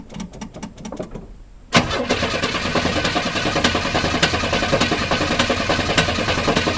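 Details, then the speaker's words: 1982 Chevy C10 Custom Deluxe being revived: steady cranking about twice a second with no firing. Crank, no start; owner suspects it needs fuel. "okay sounds like no probably needs to get some fuel up there"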